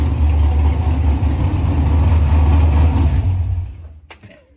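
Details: LS-swapped (5.3 truck engine) 2nd-gen Camaro with Walbro GSL392 external pump, Corvette filter regulator and returnless fuel system: deep, steady V8 rumble, even beat about four pulses a second, no misses or knocks, then shuts down; healthy running.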